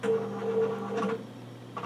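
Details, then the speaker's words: Nikon LS-8000ED film scanner scanning color slides via VueScan, autofocus set to always: short bursts of soft whirring motor tones stepping on and off; normal autofocus operation. "and you can hear it's autofocusing again because I've chosen the autofocus to be set it always"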